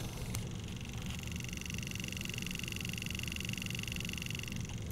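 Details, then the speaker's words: Pioneer CT-F1250 cassette deck, reel motor run directly on 5 volts from a power supply, microphone close by, house air-conditioning blower in background: light ticking about three a second over thin motor whine, from the worn reel spindle, not the motor. "did you hear that now what that is is not the motor but it's actually the spindle that the motor is connected to"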